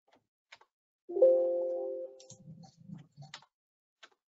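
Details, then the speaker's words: Hot-water heating pipes: sharp metallic ping then scattered ticks and dull knocks from thermal expansion as heating restarts after night setback (typically 5–6 a.m.); cause is poorly made pipe expansion provisions, repeating as valves close and pipes cool. "Tak, je to zvuk, jako když občas klepnete kladívkem do celové trubky, nebo když nahříváte kamna. Opravdu se jedná o teplotní roztažnost materiálu."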